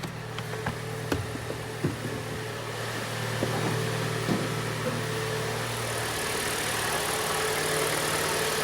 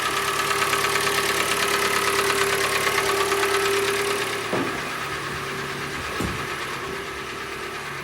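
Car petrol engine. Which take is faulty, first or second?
second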